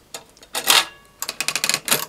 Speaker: hear that clicking sound that is what it is so we hold down that lever and just turn that dial and you can hear it clicking and behind this wheel there is a spring which helps the dial return back to its original position